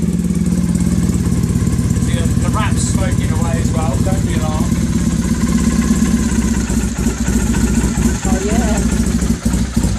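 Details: Freshly rebuilt Bonneville twin, just finished and awaiting a test run (may need rejetting): an even, regular twin beat at steady idle, no misses, knocks or rattles. Normal idle.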